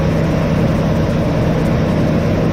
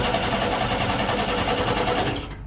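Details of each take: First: 1988 Chevrolet S10 Sport ZQ8, sitting since 1994, after new fuel pump, tank, sending unit, hoses, rebuilt throttle body, cap, rotor, plugs and wires: steady low idle hum at even pitch, no stumbles or surging; runs normally. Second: 1988 Chevrolet S10 Sport ZQ8, sitting since 1994, with plugs in and gas sprayed down the throttle body: steady rapid cranking that never fires. It has oil pressure, but the in-tank fuel pump isn't coming on, so it cranks without starting.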